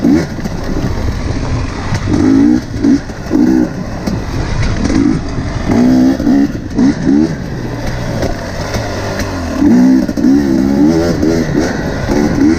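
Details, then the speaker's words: KTM TPI two-stroke after swapping the faulty crankcase pressure sensor with the identical ambient pressure sensor: sharp, clean throttle blips from steady idle with no stumble; crisp low-rpm response, sputtering and loading-up fixed. "so you can hear it immediately it's running crisper the throttle response at low rpms is really good"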